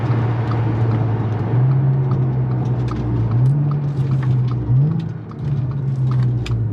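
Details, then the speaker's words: Audi S4 B8.5 driving after shop replaced worn wheel bearings: steady low road rumble, revs rising and falling through gears, no hum or growl from wheels; earlier bearing noise gone, normal. "Oh yeah, that sound is gone. I don't know if you guys remember during the day when I told you guys before I was heading to the shop to get it done, if you can hear it or not, but it's gone."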